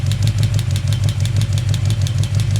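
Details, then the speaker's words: Chevy 350 V8 at idle during valve adjustment, rocker nut backed off half a turn: sharp, light ticking about five or six times a second over a steady low idle as excess lash lets the valve tap; nut then tightened until ticking stops. "Now it should start tapping. Yep. And I don't know if you can hear it there. Hopefully you guys can hear it."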